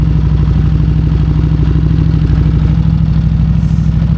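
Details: Harley-Davidson after sitting for months, battery replaced: loud, deep, loping V-twin idle with even potato beat, no misfires or knocks; normal idle.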